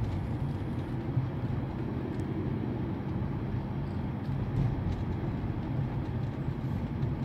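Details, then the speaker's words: 2007 Mercedes-Benz E200 (W211), test drive after replacing worn rear suspension link and parts for a crackling underbody noise when steering: only steady road rumble, no clunks or creaks over bumps. Rear suspension now quiet. "뚜둑 하면서 크게 났었는데 지금 조용해요"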